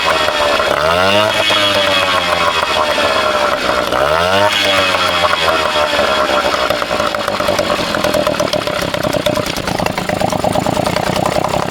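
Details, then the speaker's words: Vintage two-stroke outboard, bought cheap and unknown history, restarted possibly loaded up: crisp buzz climbing and falling with throttle blips, then a steady run without stumbling; water pumping out the holes, running healthy. "So I'm going to try to start it back up for you guys. It was pumping, too, out of the holes here. So, yeah, it was kind of uneventful. I just started up and ran."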